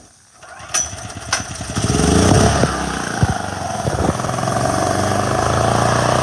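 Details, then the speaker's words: Hard-starting generator started by jamming a propane nozzle into the intake, choke held wide open so propane can enter: a few sputtering cranks, then it catches and climbs to a steady, even buzz; runs properly. "And that's how easy it is. You gotta do it. You can't use the choke because that valve has to be wide open so the propane can get in there."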